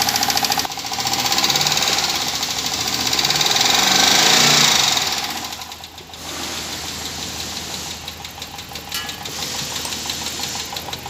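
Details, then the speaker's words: 2014 Dodge Durango after a stuck fuel injector was freed and refitted, curing a no-start: engine runs with light, quick ticking about three and a half per second over a hissy top end. Valve lifter tick. "Injector problem due to stucked up but there is sound in valve lifter there's sound"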